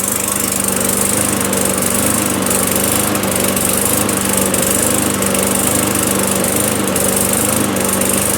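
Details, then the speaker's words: Newer self-propelled auction mower with non-adjustable, likely plastic carb, just after cold first start: steady, even drone with constant pitch and no misses. Owner notes it seems a little choky but runs normally. "Seems a little bit choky, but before you start messing around getting into carburetors, cuz there's no adjustment on these carbs."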